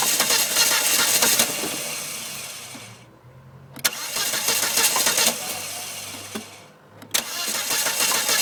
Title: Volvo s40 hard start part 2